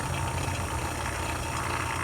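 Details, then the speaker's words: Old vacuum pump evacuating a Ford Escape A/C system through low-side port before recharge: steady even low drone, no gurgling or sputter, system pulled down, suggesting no leaks. "doesn't have a whole lot of gurgling noise, which means we probably don't have any leaks."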